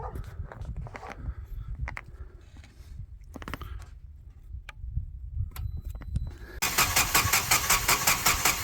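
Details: Generac standby generator at 5-10°F on its scheduled exercise day: steady fast cranking chug about four beats a second with no firing; long crank no-start from low fuel pressure, stiffening fuel regulator diaphragm, and an old dying battery drained by cranking.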